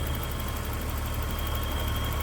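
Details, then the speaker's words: 1984 BMW 325e inline-six, 5-speed manual: smooth even low purr with steady rhythm and no knocks, ticks or misses, a healthy warm normal idle. "You can hear how that just purrs. Great running BMW."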